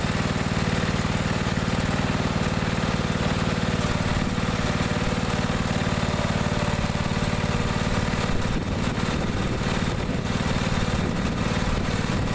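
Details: Neglected riding mower after repair, fresh gas, fuel shutoff, filter and hose clamps redone, started on jumper pack due to weak battery: steady, even single-cylinder chug at constant speed, no misses, knocks or surging; now runs perfectly.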